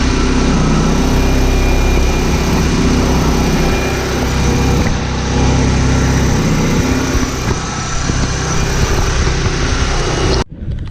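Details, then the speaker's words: 1991 Mitsubishi Galant VR-4, custom turbo manifold with welded cracks, Precision 5558 turbo, E85 tune, 3-inch exhaust, warming up: loud, rough idle with raspy puffing about four a second; owner suspects the turbo V-band clamp is not seated or tight. "looks like the v-band might not be on quite correctly on the board just needs to get more Titans not too sure let the car warm up all right let's try this again see if I got rid of that exhaust leak"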